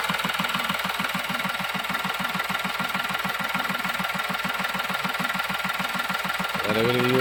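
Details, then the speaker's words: Diesel engine that previously started and died within 5–10 seconds, intermittent starting issue: even clatter at steady idle, about three beats a second, no stumbling or dying. Normal diesel idle. "നമുക്ക് engine നേരത്തെ ഒരു 10 second ഒരു അഞ്ച് സെക്കൻഡിനുള്ളിൽ of ആയി പോകുന്ന ഒരു tendency ഉണ്ടായിരുന്നു അപ്പോ ആ ഒരു പ്രോബ്ലം കാണിക്കുന്നില്ല"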